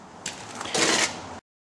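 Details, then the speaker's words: Smooth, quiet ratcheting and sliding as the door window winds on a 1974 VW Super Beetle after removing and refreshing the window regulator; no squeak or rocking, healthy. "But anyway, there it is. No more squeaking. Nice and easy to wind up, and no more rocking around."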